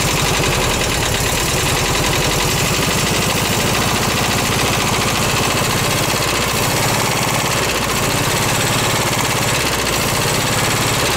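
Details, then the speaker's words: Garage-find VW bus engine run on a gas can with uncleaned carb: rough, uneven idle with a steady skip, one cylinder dropping out; valves to be adjusted to smooth it out. "valves H yeah I can't complain about that needs work but at least it does run so I'm going to go UHA adjust the vows real quick and see if it uh will kind of smooth out a little bit"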